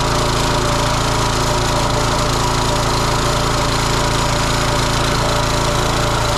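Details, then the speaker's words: Kohler SH265/SH255 6.5 hp engine on a Cub Cadet rototiller, started on choke right after replacing the faulty carburetor with a cheap new one; steady, even single-cylinder beat at constant speed with no misses or knocks, running great. "Yeah, it's running great. I'm impressed."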